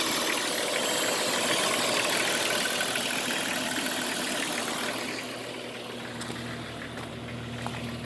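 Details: Jeep Cherokee XJ engine at idle: light fast metallic rattle about three beats a second, loudest up top, with hissing and scraping near the power steering pump area; cause unknown; engine rattle at idle.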